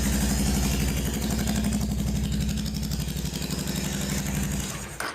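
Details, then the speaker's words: Honda Shadow VT750 Spirit, non-running bike started with starter fluid sprayed into the carbs: a lumpy, loping beat that dies away, with the rear cylinder warm and the front cold. It is running on one cylinder; a gummed-up front carburetor is suspected. "All right, I've got heat on rear cylinder, nothing coming up front. Front cold. Rear is getting warm, I can feel"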